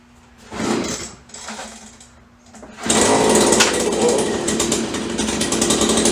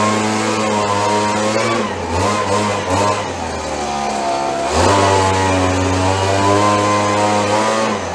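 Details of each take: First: 30-year-old Stihl BG72 two-stroke blower, cold start on choke after repairs, good compression and spark: a few pull-start rasps, then ragged, uneven, sputtering buzz; runs rough cold, much better once warmed up. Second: Roughly 30-year-old Stihl BG72 two-stroke gas blower on the starting bench after repair, started on choke: the buzz wanders in pitch early on, then settles and pulls evenly. It started rough but runs fine once warmed up.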